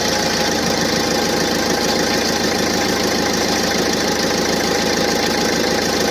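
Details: 2017 Opel Astra K 1.6 l diesel, cold engine, just after pulling away or at standstill at about 2000 rpm; fast, uneven rustling, partly metallic noise over the steady run, disappearing completely once coolant reaches about 70 °C; source unknown.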